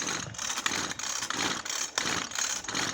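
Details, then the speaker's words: Maruyama CBC20 20cc two-stroke brush cutter before repair, turned over with clutch removed and clutch bolt found loose with a worn hole: light, uneven metallic clatter in bursts about every two-thirds of a second; mechanic suspects crank bearings or the ring scraping the cylinder. "ไม่เป็นไรครับก็อาจจะมีเสียงคลอกๆแคกๆตามไปนิดๆหน่อยๆ"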